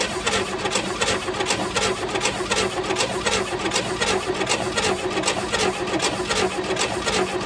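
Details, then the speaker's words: 1964 Chevelle Malibu 230 inline-six, first start after 34 years. Spark is confirmed and gasoline is poured in. Steady cranking at about eighty beats a minute with ragged catches that never take over: it coughs but won't fire and run. "That was running. That was running. That was coughing. That was making noise."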